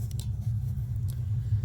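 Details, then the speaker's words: Steady low roar with no popping or fluttering as the main burner of a gas water heater kicks on after the pilot is relit and the dial is turned just below very hot; burning evenly. "we're going to turn her to right before very hot did you hear it kick on did you hear that"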